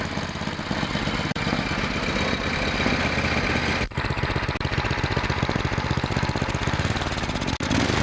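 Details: Tecumseh single-cylinder snowblower engine after throttle linkage repair; running steadily with fast even putter, no hunting or surging. Normal running.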